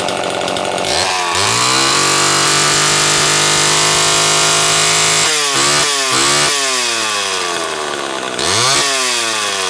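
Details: Homelite XL-12 two-stroke chainsaw that a shop called low on compression, after replacing a failing condenser: starts, settles into steady idle, then revs cleanly up and down several times; runs healthy.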